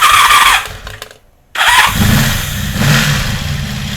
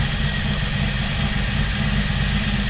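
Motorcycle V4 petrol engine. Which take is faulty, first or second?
first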